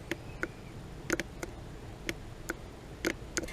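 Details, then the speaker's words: Mitsubishi Shogun Sport vacuum-operated 4x4 system (flashing 4x4 light): vacuum solenoid bench-tested by splashing 12 V across its terminals gives sharp, crisp clicks, about eight in four seconds; solenoid works, yet plugged in it fails, owner suspects insufficient voltage. "Yeah, just make the contacts and you can hear it clicking."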